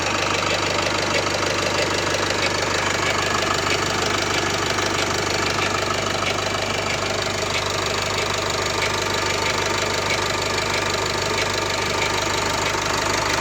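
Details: Nissan with M9R diesel engine on cold start: steady idle with a sharp, even ticking knock about three times a second; the noise goes away once the engine warms up, source not identified.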